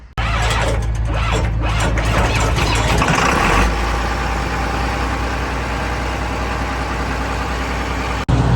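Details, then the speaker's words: John Deere 9510 combine diesel started after sitting about two to three years, batteries charged about two hours: cranks, catches at once, settles into steady even diesel clatter at idle, no misses; normal start and idle. "go after sitting for two or three years towards the batteries for a little bit thing firing right up like it hadn't seen a day but without running i mean she's a beauty"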